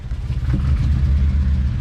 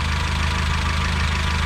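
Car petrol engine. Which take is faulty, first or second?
first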